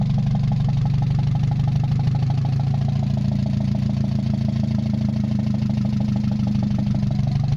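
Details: Mazda 626 first start after cylinder head reassembly, oil overfilled, warming up with rest of exhaust not hooked up: low uneven idle that pulses and wavers with a lumpy beat; rough fluctuating idle, owner suspects O2 sensor, bad EGR or old gas.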